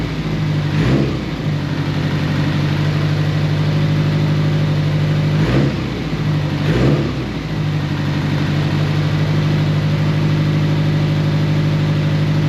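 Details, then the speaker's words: Nissan GTI-R rebuilt engine, first runs after reinstall: steady low idle, each throttle stab sags and hesitates; owner suspects TPS set wrong, also slow cranking possibly from a dirty ground, lacking power. "Well, it runs. So, that's a start. Something's not right, though. Every time I press the throttle, maybe TPS is set wrong."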